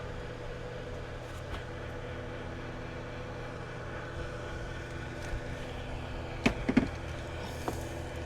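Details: Airscape whole house fan in attic, about 17 years old, after fixing broken lid actuator: steady low hum with an even drone and a few light clicks near the end; runs smoothly, no rattle.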